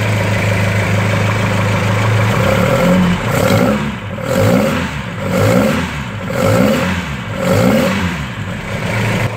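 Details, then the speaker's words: Ford 2.0 Pinto SOHC engine in a Mk3 Capri, first start after six months unrun, fired straight up after a few throttle pumps; blips up and drops back about once a second cleanly, no misses or clatter; healthy free revving. "six months this thing hasn't run for and you hit the key boom fire straight up"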